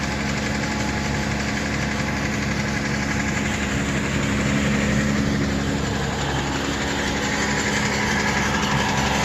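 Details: Toyota Tacoma manual on cold start, cold idle with a steady rattling knock about four times a second and faint squeak, changes when clutch pedal is pressed/released, gone at normal operating temperature: cold-start squeak and knock at idle.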